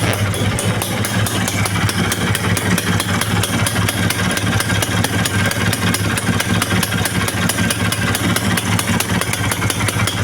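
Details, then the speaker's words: Vespa VBB engine from Sorong, 20/15 carburettor: steady quick two-stroke pop at idle, even rhythm, no knock or misfire; intake suction checked fine, idle set and engine warming up before test ride. Normal idle. "Nah, ini alhamdulillah udah nyala ya mesinnya, ya. Sekarang kita tinggal cek gimana kondisi hisapannya. Nah, ini alhamdulillah aman."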